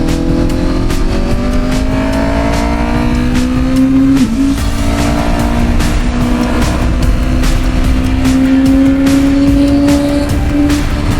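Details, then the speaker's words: 2025 Honda CBR1000RR-R Fireblade SP after repair (previously horrendous idle, throttle hesitation): clean rising engine note pulling smoothly through the gears, no stumble or hesitation. Healthy engine under throttle. "What an awesome machine. Listen to that idle, bro. That idle. It just idles beautifully."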